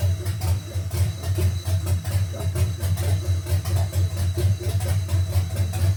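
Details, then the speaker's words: 1971 GMC C10 with a fuel-injected 5.3L LS swap at first start: deep, uneven, lopey idle with a choppy beat. It is running very rich on old gas with an untuned setup, and the cam is believed stock. "It's running super rich. Sounds like it's super cammed."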